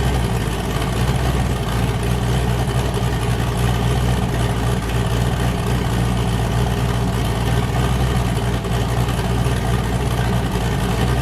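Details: Boosted car with a newly fitted cam, after a 23 psi boost blew off a coupler and the engine sounded wrong: deep heavy idle with a hard steady chop in the exhaust while warming up; engine sounds happy.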